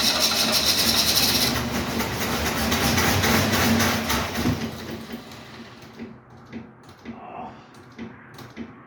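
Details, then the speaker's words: 1968 Mustang cranking at about four beats per second, coughing briefly but never picking up; owner suspects fuel starvation with the tank barely above empty and plans to prime the fuel pump. "it almost seemed like for a second there was starting to pull gas from the tank i wonder if i should put some more in the tank"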